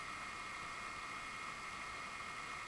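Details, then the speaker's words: Bestron DCF52LSR ceiling fan, newly installed, starting slowly at low speed: faint, steady, very weak high hum over a soft hiss, with no knocking or scraping; the motor hum is normal and not irritating. "you hear the motor making a very weak humming sound like hmmmm... hmmmm... and when you go faster it starts a bit more humming. But it is not irritating or so."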